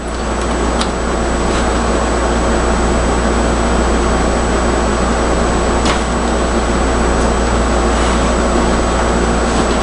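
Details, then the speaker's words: Zenith tube radio: steady hiss and hum broken by about six sharp, irregular pops from silver mica disease. "Yeah, I can still hear it popping. So, yeah, we've got silver mic and disease here, too."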